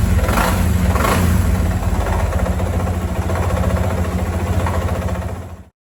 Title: Fazer 250 nova barulho no motor